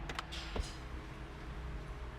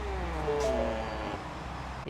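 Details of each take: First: 2019 Ford Mustang GT leather power seat after fixing the seat-to-console rubbing squeak with felt tape: steady, even motor hum as the seat travels, no squeak or rubbing; normal operation. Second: 2019 Mustang GT in accessory mode: short high squeaks over the power-seat motor hum as the seat moves, the leather rubbing against the center console; it happens only in summer.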